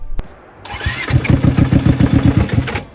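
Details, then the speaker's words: Cheap rock bouncer, choked by holding intake shut, heavy blow-by smoke: catches and runs with heavy uneven low thumping three or four per second; bottom end bearing knock, motor judged shot. "You know that noise it was making? Oh. It's because that's your bottom end bearings. Oh. Motor shot."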